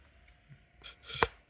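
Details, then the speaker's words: Crank Brothers Clik pump, repaired: with a thumb over the outlet, two short airy hisses on the return stroke as air is drawn in freely through the centre tube past the valve; intake works normally. "So I can put my thumb over this, and you can hear the air is being drawn in"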